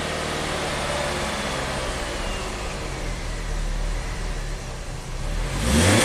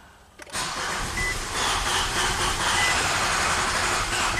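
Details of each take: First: 2011 Nissan Sentra, 33,000 miles, after a stall-out and a prior shop's plug, coil, fuel pump and converter swaps: engine now idles evenly on its own with everything plugged in, then picks up cleanly on a throttle blip; normal running. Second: A 2011 Nissan Sentra with 33,000 miles cranks after fuel-pump priming, then stumbles into a ragged, uneven run that almost catches but never settles. Plugs, coils, fuel pump and converter were already replaced; it runs very rich. The cause is unconfirmed.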